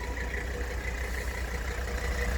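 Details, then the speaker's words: 1984 Mercedes-Benz 300D 5-cylinder turbo diesel, just started from cold: steady, even diesel clatter at low idle with no misses or knocks; starts cold fine; normal diesel idle. "while you hear it run so just started uh please warm now they start up cold just fine"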